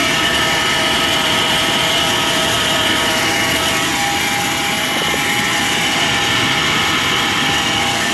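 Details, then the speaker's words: 1995 Chevrolet Silverado 1500 extended cab V8, automatic, 4x4, at idle: steady high-pitched whirring rattle over the engine, traced to the A/C compressor pulley, not the alternator; the compressor is thought to be running dry and needing lubrication, engine otherwise fine. "plutôt la poulie du C'est là que le bruit provient, c'est le compresseur. Donc euh ouais, il a peut-être il a certainement besoin de lubrification."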